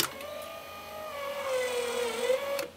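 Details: On a homemade bandsaw sawmill, the blade guide drive runs as a steady electric motor hum for about 2.5 seconds, then the lock engages with a sharp click. The guide drive is working normally.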